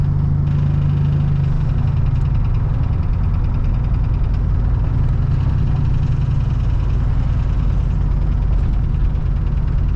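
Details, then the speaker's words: Big-turbo street truck build, turbo fitted but zero boost, oil pressure still good: a loud, deep idle with a faint, quick, regular light tick on top. The noise returned after it seemed fixed, and top-end ticking is suspected (unconfirmed). "I thought we had it. The noise came back. Oh, it's loud too."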